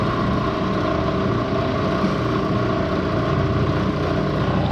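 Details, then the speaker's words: 1970 Bridgeport milling machine head run in low gear at 200 RPM: smooth, even spindle hum with faint gear whir and no knocks or rattles; runs healthy. "let's see what it sounds like okay it's not bitching at all"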